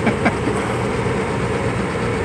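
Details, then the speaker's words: Carrier gas furnace warm with flame on, after installing a new inducer motor assembly; smooth even low hum with no rattle or squeal at start-up, unlike the noisy old inducer: normal running. "Yeah, but see how that inducer doesn't make any noise? Yeah. The other made a bunch of noise when it came on."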